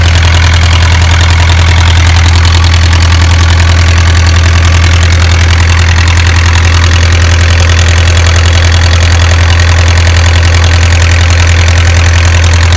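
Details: Isuzu 4BA1 85 hp diesel coupled directly to a 5-inch single-impeller pump, pushing water about 800 m uphill to a durian orchard: steady deep drone with regular firing pulses, no knocks or misses, healthy.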